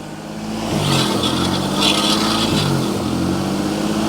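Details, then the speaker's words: Renault Vel Satis driven with a wheel up on the jack, ABS light on: harsh metallic scrape rises and falls with each wheel turn over the engine; owner thinks it's the brakes. "And well, I think it's just the brakes. I'm going to tell if the bearings any good."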